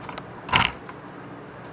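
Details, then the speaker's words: Early-1990s CRT monitor warming up after power-on: chirping that speeds up, then sharp irregular clicks and a louder snap over quiet room hum; suspected dried-out power-supply capacitor reforming, not confirmed. "and i'm hearing the tube start to click so i have a feeling there's like an old dried out capacitor in the power supply that's starting to reform"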